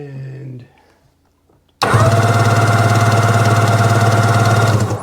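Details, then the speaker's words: 2005 Sea-Doo 3D 787 two-stroke, believed submerged/flooded, cranked with spark plugs out to see what comes out the plug holes: steady fast cranking, about three and a half beats per second, free spin, no catching; little crud expelled, smells of WD40. "Next Step we're going to crank it over and see if anything comes out the plug holes and check compression all right let's see"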